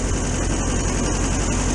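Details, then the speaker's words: VW T2 camper van's air-cooled flat-four idling on a cold January day: even, rapid chatter with steady low beat, no misses or knocks; owner plans to check oil and keep an eye on it, running fine. "just check the oil keep an eye on it maybe do something to that later but at the minute it seems like it's running fine"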